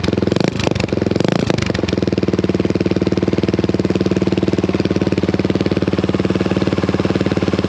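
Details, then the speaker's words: Honda XL175 single-cylinder motorcycle with its old muffler, before fitting a replacement muffler, idling after a blip: harsh ear-piercing thump, very loud for a single; poorly silenced exhaust suspected. "she's pretty ear piercing you know it's just for uh for one lunger she uh she really gets the uh the decibels"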